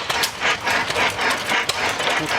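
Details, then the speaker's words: Vintage hit-and-miss stationary engine at a show: uneven bursts of clanks and puffs as it fires, then coasts with the exhaust valve held open drawing in air until the governor trips it again; normal running. "here's a nice big old hit in this engine you can hear it coasting there and the exhaust valve is held open and draws in some air and fires and it'll post until the governor lets the farm off in the exhaust down"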